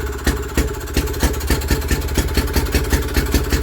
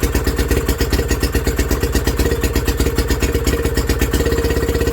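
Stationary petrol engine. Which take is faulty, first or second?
second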